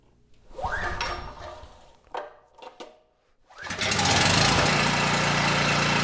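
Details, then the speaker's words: Homelite 5,000 W generator with 9 hp Subaru engine, light plugged in, choke off after flooding; several pulls with sputters, then it catches and runs steady without surging but a little slow despite a suspected faulty Mikuni carburetor (needle and seat). "Also, these Mikunis, even when clean and working perfectly, love to run the engine lean and surge without a load. But, this one ran the engine perfect. There was no surging at all."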